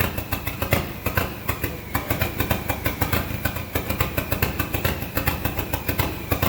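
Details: SRT-4 engine in a Mazda B2200 drift truck, restarted after a blown PCM fuse. Uneven, stumbling idle with irregular pulses and no steady beat. Rough because idle air control, TPS and intake air temp sensors are unplugged and there is no O2 sensor.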